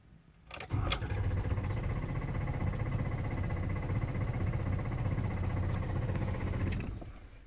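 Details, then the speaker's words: 2016 Ford F-350 with 32,000 miles, key on and no check-engine lights: the starter cranks with a steady chugging for about six seconds but the engine never catches. This no-start has recurred over 20 times and the truck has been towed in four times. "you can hear it starting or trying to sort no check engine lights past turning the key on"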